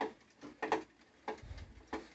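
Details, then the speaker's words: NordicTrack 890/990 Pro treadmill running: dull rhythmic knock about every 0.6 seconds as the belt moves. Nothing loose or misaligned; dust from belts breaking down noted. Cause unknown. "so i have a nordictrack um 890 pro that has a knocking noise i'm trying to figure out what the issue is"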